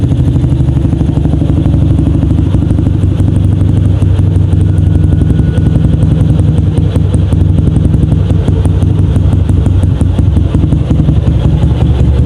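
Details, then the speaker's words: 2007 Yamaha Jupiter MX after tune-up: 57 mm Vixion-block bore-up, T28 camshaft, BRT dual-band CDI, porting, 28 mm header exhaust. Crisp, even single-cylinder putter at a steady idle of about 1000–1500 rpm, with no misses or tapping. "Agak sedikit. Oke, kalau untuk RPM-nya sendiri berada di sekitar 1000 sampai 1500. Ini RPM ya."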